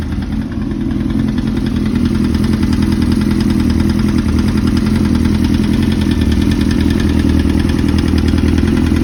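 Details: 2005–2006 Suzuki GSX-R1000 at a steady idle: a hard, regular knock about three times a second over the exhaust beat, rod knock from a worn rod bearing.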